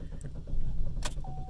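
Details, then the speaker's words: Chevy Cruze with intermittent stalling, hot after running about 30 minutes: the starter churns steadily but the engine never catches; crank no-start, suspected heat-related; the fault was later traced to a poor connection at the ignition coil. "let's see if I can get started again please start is tries to start there for a minute so this seems like it's uh something that probably happens when the vehicle gets hot"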